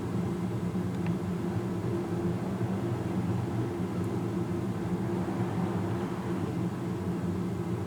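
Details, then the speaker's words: 42" Heritage Crusader ceiling fan (made 06/2000) on an uninsulated testing rig: constant low motor hum with steady air rush, no ticks or wobble; normal for older fans. "I don't know the RPMs on this thing but I do know that it does move a lot of air and that slight motor hum that is normal in these older fans"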